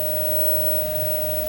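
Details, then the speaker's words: Dyson DC11 upright vacuum during a suction test with the wand extended: steady, clean mid-pitched whistle holding one note over the motor hum. The suction relief valve is opening, as normal. "seem to be holding steady so let's take the suction [Music] and we can hear the relief valve"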